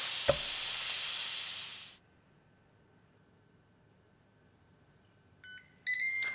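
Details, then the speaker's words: Ninja Foodi OL701 after a one-minute pressure cook: hands-free pressure release vents a loud steady steam hiss for about two seconds, then beeps. Normal operation. "then you'll hear three beeps and I'll I'll warn you you will jump and maybe even scream I have each and every time because you're waiting for it and then boom it happens and uh but anyway it's so cool so this is hands-free pressure release and I absolutely love it"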